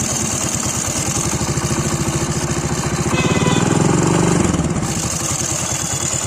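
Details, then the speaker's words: Hero motorcycle idling with a loose rapid rattle from the flywheel magnet, not the timing chain; noise disappears when revved and returns immediately at idle. "आप कैसे ही race दे दी तो बात खत्म हो गई है दोस्तों जैसे ही रेस कम कर रहा है तुरंत आवाज आने ग गई"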